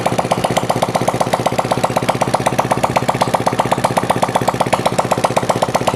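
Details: Honda CD70 that overheated and stalled, after clearing a clogged oil strainer mesh, adjusting tappets and refilling oil: even, quick single-cylinder putter at steady speed with no knocking or tapping from the head; runs healthy.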